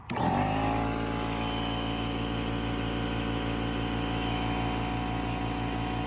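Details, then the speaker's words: Fortress 6-gallon 175 PSI Harbor Freight air compressor, about 4 years old, stopped holding pressure two months ago: the motor starts with a rising whir, then a steady even drone and hum, but never builds pressure; cause unknown before opening the top. "Yeah, so it's not building pressure, so I'm about to take off the top, and I'm gonna try to figure out what's going on with it."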